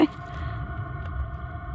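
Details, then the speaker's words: Diesel heater in a van, recorded from the loudest point at campsite, holding about 14 degrees; steady low rumble with faint even whirr, no knocks or surging, running normally. "So I mean, there's definitely a noise, but it's not too bad, especially we're in a campsite."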